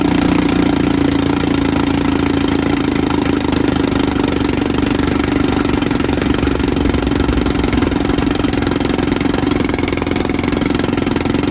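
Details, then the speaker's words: 1954 Evinrude 7.5 HP Fleet Twin two-stroke outboard, after replacing coils, cleaning points and rebuilding carburetor: steady, even buzzy drone with no misses, knocks or surging; running smoothly. "Well guys, this thing actually runs pretty dang good."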